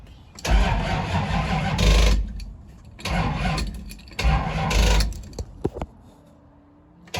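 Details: 1974 Dodge Challenger 318 V8 with new battery cable, ignition relay, mini starter and eBay carburetor, two-stroke oil poured in cylinder; three bursts of steady cranking with a few ragged catches that never take hold: cranks but will not start.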